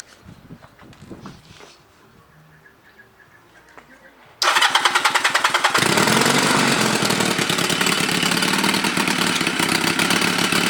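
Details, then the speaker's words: Chinese clone of Honda Rebel 250 engine, bought non-running, rewired and revived: starts then runs loud with sharp rapid puffing ticks around 200 a minute; exhaust leak at head left unfixed because engine's exhaust screw holes are broken. "I couldn't fix it because the screw holes in the engine were broken. So it will be loud."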